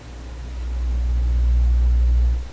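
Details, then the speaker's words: Vacuum tube PA amplifier with 6SJ7 preamp tubes, during a hum hunt with cathode bypass capacitors paralleled: deep steady low hum swells with volume, holds, then fades. Scope traces the hum entering the tube on its grid line. "So the hum is coming into that tube on the grid line."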